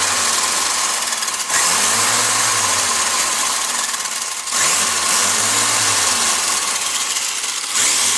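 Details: WLtoys 124016 RC car run on the bench after replacing a bad wheel bearing and removing wheel slop: high even electric whine surging and dipping with throttle, no grinding or clicking from the wheels; drivetrain healthy.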